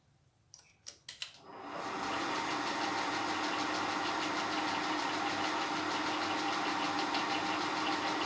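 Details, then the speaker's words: Bronze and steel helical gears cut on an Elliott 10M shaper, mounted in a mill and moved closer: after handling knocks, a steady gritty grind with a thin high ring as they mesh too tightly. Centre distance then backed off for quiet running. "I'll bring the two gears closer and closer together until they start to grind then I'll back off until they run as quietly as they're going to"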